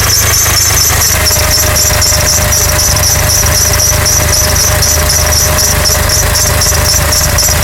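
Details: 2006 Honda Accord: loud constant high squeal over a steady idle that doesn't fade; engine squeal from the front of the engine.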